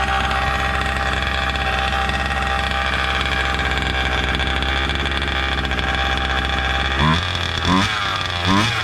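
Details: Gas-powered Losi Desert Buggy XL RC buggy with new aftermarket performance exhaust, kill switch and receiver: high buzzy two-stroke drone holding steady, then crisp clean throttle blips; healthy and responsive.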